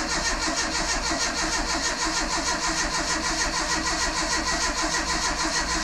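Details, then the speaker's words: Renault Super 5 after 1.5-year restoration and engine rebuild, first crank with ignition not fitted and carburetor not set; steady even starter cranking with no odd noise, not firing; oil leak at sump noted. "déjà ça tourne au démarreur il y a pas de bruit bizarre ça a pas fait glingging il y a rien qui qui qui fait chier pour l'instant"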